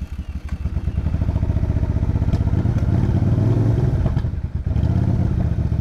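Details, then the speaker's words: Motorcycle run near full throttle that ran out of gas and stalled, restarted on reserve: uneven, stumbling beat with brief drop-out and misses as fuel works back through; rough running from fuel starvation. "why is the bike acting weird it's acting really weird Oh what's going on I'm losing power my out of gas"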